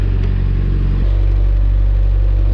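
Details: 1986 Suzuki Samurai with a 1.6 VW turbo diesel, cold start after glow plugs and a new larger battery: steady, deep idle with an even low beat and no knocks or misses, warming up normally.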